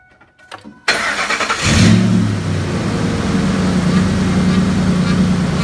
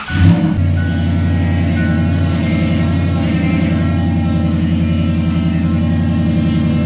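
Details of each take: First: 2005 Ford F-150 5.4 L after power steering pump replacement and air purge: engine cranks, catches and settles into an even idle with no whine or groan; pump now quiet, night-and-day versus the noisy old pump. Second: 2005 Ford F-150 5.4 L running: steady engine hum with a constant whine from the diagnosed, failing power steering pump, before pump replacement.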